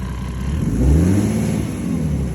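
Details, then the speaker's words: 1998 Mercedes-Benz E300 OM606 diesel at 9,000 ft, with Diesel Purge and Diesel Kleen going through it, no smoke or smell: revs up cleanly and comes down smoother than before, without stumble or rattle; normal revving. "again it's running smooth it's revving revving up about the same maybe bed maybe yeah it's better running up but it's definitely coming down um smoother"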